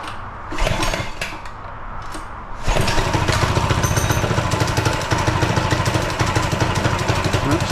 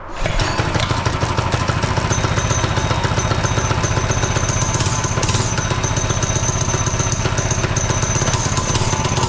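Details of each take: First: Newly rebuilt minibike with a new GoPowerSports engine, first start on full choke before its first ride: cold, rough running, small single thumping unevenly at about four beats a second until it warms; a little cold-blooded. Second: Barbie scooter converted to a minibike with a new GoPowerSports single-cylinder motor, cold on full choke: steady, even thumping idle with no misses or knocks. Normal idle.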